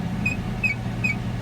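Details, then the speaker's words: 2005 Chevrolet Silverado 1500, heard at driver-side rear wheel: chirp when taking off from a dead stop up to about 30 mph, same as on the passenger side, seeming to come from mid-truck; sharp high chirp about every 0.4 s over drivetrain rumble, suspected driveshaft universal joint. "as you can hear the noise is doing the same thing over here that it was on the passenger side and it sounds like it's coming from the middle of the truck which it's kind of telling me that it's"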